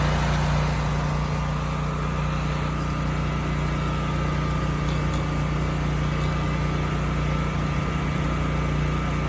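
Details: Used generator HU40500G after new generator head (stator and rotor) installed, under 3,000 W load: steady, even drone holding speed, no hunting or misses; engine and power output good.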